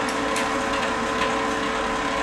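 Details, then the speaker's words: Lincoln Power MIG 210 MP after drive motor replacement, dry feed with no gas and wire feed speed raised: steady, even mid-pitched feed motor hum with no grinding or chatter, sounding much better than the old motor; wire now feeds normally. "the uh Drive motor sounds a lot better than the old one did it's actually working so that's a positive"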